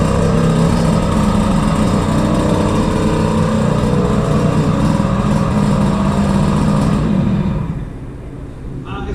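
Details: Peugeot 103 with air-cooled 70cc Malossi cylinder, 16 carburettor with 86 jet and airbox, started on choke: small two-stroke buzzes fast and steady without settling to a slow idle, then shut off; high idle.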